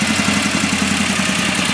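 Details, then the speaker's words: Warmed-up performance VW engine with Kadron Solex H40/44EIS carburetors after idle speed adjustment, about 1100 rpm. Smooth, even idle with a steady burble and no stumbles or hunting; the carbs sound well balanced. "about 1100 RPM warmed up from the hul a little ly of a tan that's pretty much right about where we need to be put idle speed on pretty decent"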